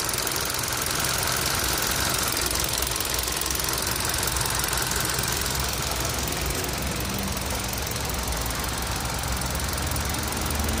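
Idling engine with a loose, uneven clatter like marbles rattling, roughly three per second over a hissy background; cause not pinned down.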